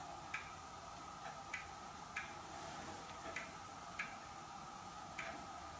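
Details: Hermle weight-driven grandfather clock movement on a homemade leveled test stand (F-350 rotor disc base), pendulum just fitted; crisp light ticks at a steady pace, nothing rubbing or knocking, running evenly in beat.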